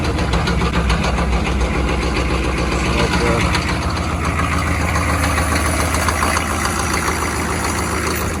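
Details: 6.5 turbo diesel truck with a crank-no-start fault starts after the glow plug relay studs are jumped for about 20 seconds, then settles into a steady, even clatter at idle with no misses or stumbles; normal idle.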